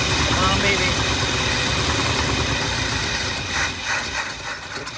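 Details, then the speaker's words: 1959 Lincoln cranked after fitting a new ignition switch, using brake-clean spray as starting fluid. Fast cranking with ragged catches that never settle to idle. Fuel delivery problem is getting worse: it cranks and catches briefly but won't keep running. "up there almost we're close so tell Mi feels so much better that yeah it seems like it actually wants to work which is a promising thing"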